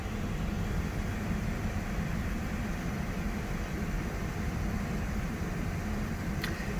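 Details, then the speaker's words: 1978 Chevrolet Camaro LT, 63,000-mile one-owner 4-speed V8: after about five minutes of warm-up off high idle, steady even low rumble with no misses, knocks or ticks; normal smooth warm low idle. "it did take about five minutes or so for the car to uh to come off a high idle but you can hear now runs just as smoothly on on low idle"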